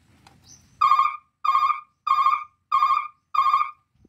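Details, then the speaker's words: Truck 24 V three-tone reverse alarm with yellow brake wire and red reverse wire joined, reversing while braking: five even mid-pitched beeps about two-thirds of a second apart, roughly 94 a minute, on a quiet background; the brake-tone pattern. "Ya seperti ini itu mengatrek seperti itu suaranya ya Jadi kita gabungkan yang warna kuning sama yang warna merah kalau atraknya sambil ngerem"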